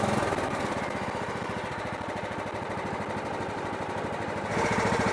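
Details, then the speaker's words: Riding lawn mower after carburetor cleaned and rebuilt with new gaskets and seals (previously wouldn't idle, backfired), empty fuel bowl: steady rapid chuffing of small single-cylinder engine cranking, then picks up and runs smoothly; normal cranking and starting. "I think we're ready to crank this over and fire it up just keep in mind that there is no fuel right now in the fuel bowl so it may crank for a few seconds more than it normally would because it has to fill that fuel bowl"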